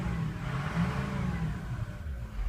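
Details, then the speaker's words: 6.0 Powerstroke diesel with a stuck-open EGR valve (P0404, P1335) that stumbled badly, revved with the turbo VGT commanded to about 40%: deep, smooth pull with no bog. The boost overcomes the EGR leak. "I just changed the air fuel ratio to where I'm getting more air and now because I took control of the turbo or let the computer take control of the turbo and it's more or less you know it's forcing more air in there"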